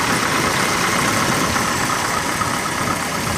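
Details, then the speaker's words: 1991 Mercury Grand Marquis idling after an oil and filter change with 4 quarts 20W50 plus a quart of Marvel Mystery Oil to clear sludge; original battery recharged. Even, quiet idle with a steady beat, no tapping or knocking; sounds smooth and healthy, a normal idle. "I changed the oil and oil filter on this. I used 4 quarts of 20W50 oil and a quart of Marvel Mystery Oil. That seems to have quieted the engine down."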